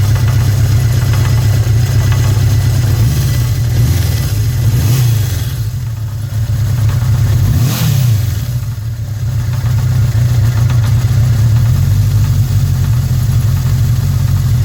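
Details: 1981 Suzuki GS650G four-cylinder motorcycle idles and revs with a steady deep beat and a faint tapping underneath; engine knock of unknown origin.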